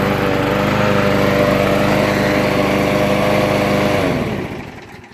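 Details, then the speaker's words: Troy-Bilt mower with a Briggs & Stratton 6.75 engine, after the leaking gasket was replaced with a homemade cork gasket and primed three times: it starts right up and runs smooth and even, then winds down cleanly; normal running. "I've already primed it 3 times now. Let's check it out. Voila! Starts right up."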